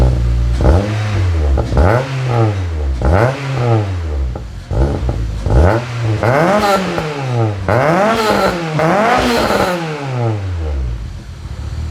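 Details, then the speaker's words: K-swapped RD1 JDM Honda CR-V, first start on a new mild-steel custom exhaust (3" downpipe, 2.5" back, resonator, twin-loop muffler), beside a concrete wall: repeated sharp throttle blips with a very loud, raspy note. Owner suspects an exhaust leak. "holy that's loud uh do i have an exhaust leaf or what"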